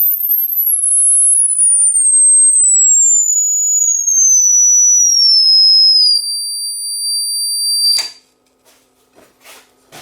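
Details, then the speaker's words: Replacement Class D amplifier module on a test-tone sweep, oscillator about 1.19 MHz: pure high whistle stepping steadily down in pitch, no warble or beating up to 50 kHz unlike the defective DOA unit; clean test tone output. "up to 50 kilohertz I'm not hearing any of that beating that we heard on the other one"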